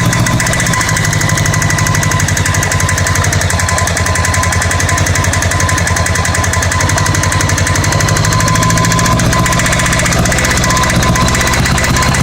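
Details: Honda Goldwing GL1100 at idle during plug-wire pulls per cylinder: fast, rough, metallic clatter running steadily, coming and going; pulling number 2 plug wire makes no difference; engine rattle at idle.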